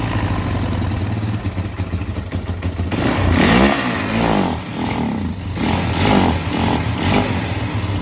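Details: 2006 Kawasaki KFX 400 after a valve adjustment: cranks briefly, catches and fires, then clean rises and falls through several revs with an even beat; starts and runs healthy.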